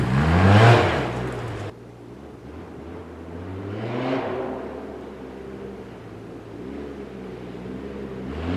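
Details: 2010 Arctic Cat Z1 Turbo snowmobile after swapping the heavy, overheating OEM muffler for an aftermarket exhaust: engine blips, settles to a steady deep idle, then revs again; clean, even running.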